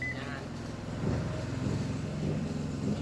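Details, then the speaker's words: Washing machine with noisy spin and poor cleaning, after cleaning, loaded with clothes during water fill: steady low motor hum rising slightly under load, even with no knocking or grinding; motor running normally. "เสียงเครื่องปั่นนะครับผมอืมีน้ำไหลเข้านะครับผมเสียงเครื่องมันปั่นะเรียกน้ำหนักเนาะครับผมว่ามันหนักจักกิโลเนาะครับผม"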